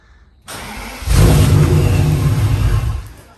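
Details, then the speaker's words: BMW E39 M5 after third attempted fuel pump/fuel line fix; dies repeatedly after a test drive, suspected fuel pressure problem. Starter cranks, engine catches and roars about two seconds then dies, as if fuel-starved: starts then stalls. "So it'll run for about a second or two now."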